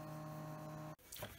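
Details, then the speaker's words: Windows 98 machine just moved into a new case: a loud steady droning hum with a few fixed tones cuts off abruptly at power-down; the owner believes it is the GPU fan. "still pretty loud and look at that it's working it's a quite loud I think that might be the GPU fan I don't know we have to go look"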